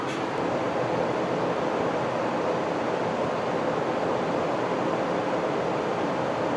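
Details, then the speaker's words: 2020 Tesla Model Y in Arizona garage: steady loud rushing roar of the cooling fan running hard to cool the overheating battery, stopping charging. "Um you can just hear how loud it is cuz it's trying to cool down the battery."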